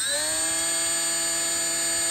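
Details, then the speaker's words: Milwaukee M12 cordless die grinder: motor spools up with a high whine, eases back slightly and holds a clean, steady pitch; plenty of power, healthy normal run-up. "so you can hear it accelerate and then it just kind of slows down a little bit and kind of maintain speed"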